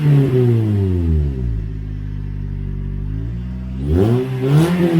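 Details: Toyota Corolla first start with a newly installed Borla exhaust: deep smooth note climbing cleanly on blips and settling to steady idle, not too loud or raspy, no drone; healthy system.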